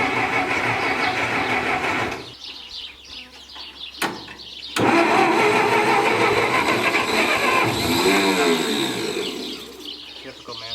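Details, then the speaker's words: Massey Ferguson 65 tractor petrol engine with dirty carb, new plugs and starting fluid: starter drags slowly, labored churn about 3 beats/sec, no start; owner suspects corroded negative battery strap limiting amperage; slow cranking no start. "so i did notice why it may be cranking slow if you look here this strap isn't too good on the negative and that probably should be cleaned off"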